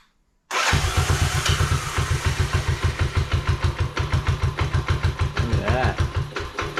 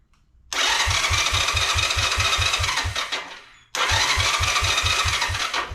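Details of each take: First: 1986 Honda Fourtrax 125 test fire after carburetor cleaning and new fuel line: engine catches at once and settles into an even, steady thump of about three beats a second, running cleanly; normal running. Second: Long-parked 1986 Honda Fourtrax 125 single-cylinder ATV, key on with neutral light, before carburetor cleaning: two cranking attempts at about four even compression strokes a second that never catch; it has spark, fuel starved from a clogged pilot jet.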